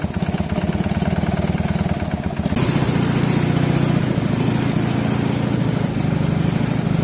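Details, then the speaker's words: Fiat Jolly 500 cc low-compression engine refitted with a lawnmower carburetor, first test fire in several years: even, rapid low putter at idle with a steady beat and no misses or knocks; runs nicely. "Runs nicely. Well, this was a total success. The car runs pretty darn good, uh especially for being its first real run in several years."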